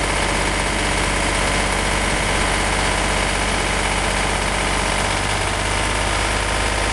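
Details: Renault N70 tractor (1963), after fitting three new cylinders in October 2013 and 60 hours of running: steady, even diesel chug at low idle with no knocks or misses; normal idle.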